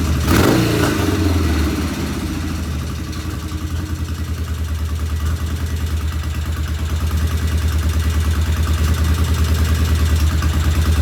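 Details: 1975 Norton twin, first start after tickling both carbs, with about 40 psi compression noted. At fast idle a sharp, regular light tick rides over the exhaust beat: one loud valve tappet, to be rechecked once cool.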